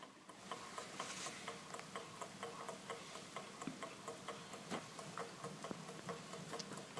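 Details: Small kit-built Stirling engine, warmed and started by nudging the top wheel: faint light ticking about twice a second, slightly uneven, speeding up as it gains momentum, running freely and healthy.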